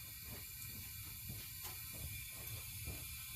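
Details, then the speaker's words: 2000 Honda Accord, warm engine, leak-down test: air heard hissing into the crankcase, none at intake or exhaust, with faint rhythmic ticking; worn piston rings, likely also needs head work, causing rich running at idle. "but if you listen closely you can hear air leaking in the crankcase so i checked the intake nothing exhausts nothing but i can hear it in the crankcase"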